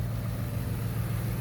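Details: 2012 Ford F-150 that cranked but wouldn't start, no codes, fixed by replacing blown fuse 27 with borrowed fuse 56; starts instantly, low steady even idle hum; running normally.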